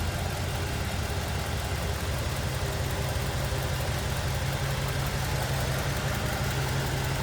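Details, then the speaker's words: 1947 Ford Super Deluxe Business Coupe flathead V8: low, smooth, very even idle with soft steady rumble and no knocks or ticks; quiet, healthy idle. "Pretty smooth and quiet. There you go. That authentic old school flatty sound."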